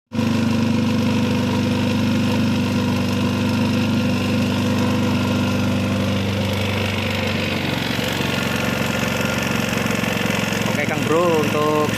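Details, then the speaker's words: Yamaha Jupiter MX with white smoke, overheating and power loss: uneven lumpy idle with rough rattle that falters and stalls by itself; worn piston and loose connecting rod. "can hear the sound of the engine, yes, the sound is rough, then the engine goes down. It turns itself off"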